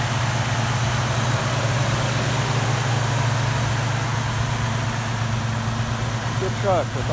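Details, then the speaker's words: 1972 Chevy C10, 350 small-block V8 (non-original) with TH400, electric-choke Rochester carburetor at 6 psi fuel pressure, ~2.5-inch exhaust: low steady even burble, no misses or knocks, slight chatter near end; smooth normal idle. "rochester it idles really smooth exhaust sounds nice"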